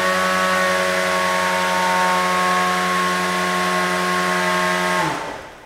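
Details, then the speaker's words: Beetleweight combat robot weapon spinning on new pulleys: smooth steady high whine at top speed drawing about 31–32 amps, then winding down cleanly; normal spin. "it looks like at top speed we're hitting 31 to 32 amps which is quite a bit for a beetle"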